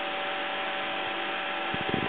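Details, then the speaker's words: 6-inch fan on a bench power supply, voltage being raised, steady even whoosh with constant motor hum, no rattles or surges; normal fan operation. "You can really tell, you know, things are starting to flap around."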